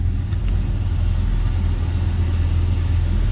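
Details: 1972 Chevrolet C10, 350 V8, TH350 automatic, just after cold start: deep, steady idle with even low rumble, no knocks or misses; normal healthy idle.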